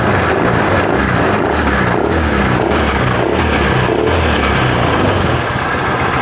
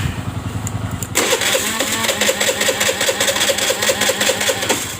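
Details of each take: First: Honda Vario 110 FI scooter that stalled after 1–2 km, cause a nearly broken pulser (crank sensor) cable interrupting injector; after idle air adjustment, steady even single-cylinder idle without stumbling; normal idle. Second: Honda Vario 110 FI that stalls after 1–2 km: starter churns at about two and a half pulses a second, engine never catches, no fuel pressure; near-broken crankshaft pulser cable interrupting injector spray.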